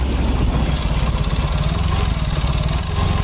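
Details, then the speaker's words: Yamaha Fino 125 scooter before repair, engine won't hold idle and dies off throttle: rough idle with rapid clattery tapping over a heavy rumble, louder as rpm rises, no smoke; valve clearance fault, found as exhaust valve too tight. "Suaranya parah, semakin digas keras, suaranya semakin keras. Semakin naik RPM, suaranya ikut naik."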